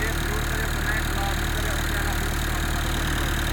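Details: Diesel tractor started in severe cold: even chug at roughly three to four beats a second, steady and smooth with no knocks; idling cleanly.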